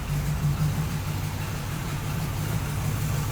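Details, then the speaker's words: 4x4 hot rod idling at first start after waiting on parts, including a rear driveshaft yoke: a low, steady burble at about three pulses a second with no knocks or misses. It is running pretty good before a test drive. "seems all [Music] right seems to be running pretty good let's pull her out and see how she does"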